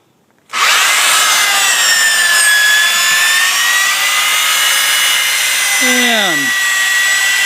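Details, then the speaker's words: Power drill driving a DIY lake muck winch, about 100 ft of line out, 200 lb in the bucket, pulling a 3,000 lb Aurora in neutral, on a long extension cord; steady high whine with no bogging; copes with heavy load. "It keeps bringing it in, and the drill seems to be pulling it in without too much trouble."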